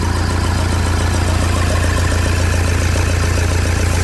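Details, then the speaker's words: Toyota Hilux diesel with over 500,000 km, first start after major rebuild, accessories and hoses not yet connected: steady idle with a regular clatter about three and a half times a second, expected to stop once accessories and hoses are fitted. "ligar os acessórios as mangueiras que vai parar o barulho vai daqui a pouco você confere"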